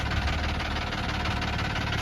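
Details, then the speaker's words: Infiniti G35 petrol V6 running with a deep, rapid knocking under its low rumble: rod bearing knock. "This is terrible. Oh my god, okay, stop. You're gonna blow your engine right on the fucking driveway."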